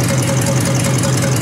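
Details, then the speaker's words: 1953 Hemi engine idling after an oil change and restart: steady low idle with a faint, even tick from the old mechanical fuel pump on top; oil pressure confirmed, normal. "Here in old fuel pump. Yeah, oh, the pumping? The old one? Yeah. Yeah, mechanical, you can hear it. That's good. That's the noise."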